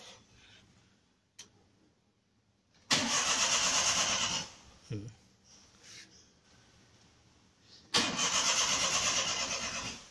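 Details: Car fitted with a hidden security kill switch that cuts power to the fuel pump: with the switch off, two bursts of even starter cranking of a couple of seconds each, engine never catches; cranks but no fuel pump supply.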